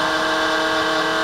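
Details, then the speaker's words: Creality Ender 3 3D printer power-supply (PSU) fan: steady whine of several fixed high tones with no rhythm; it quiets somewhat once warmed up, and the fan is failing and needs replacement. "it does quiet down once the fan is warmed up but you can hear it I mean that's terrible that just that sounds horrible so which is kind of another problem with quality printers is that the fans kind of suck"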